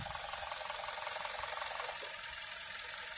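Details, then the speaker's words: 2022 Maruti Suzuki Dzire CNG switched back to petrol, idling: quiet, even idle with a soft regular pulse and no knocks; noise and vibration drop noticeably compared with running on CNG. "तो यहां पर जो आवाज है जो कंपन है वह बिल्कुल कम हो जाता है"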